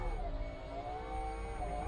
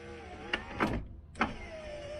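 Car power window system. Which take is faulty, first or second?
second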